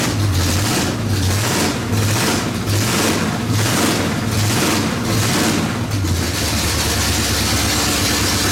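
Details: 1970 Pontiac GTO V8 idling on open headers after engine work, before first drive: deep loud burble with steady even lope, no ticking or leak puffing; sounds way better, healthy idle.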